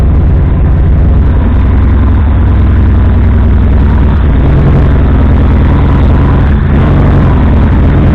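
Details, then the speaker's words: WAR Corsair airplane engine after carburetor taken apart: deep steady low idle with slightly lazy uneven beat, idle set a little too low; still running rich, backfires at times when starting, ignition being checked. "So as you can see, I got it running. I pulled the carburetor apart. Still running rich."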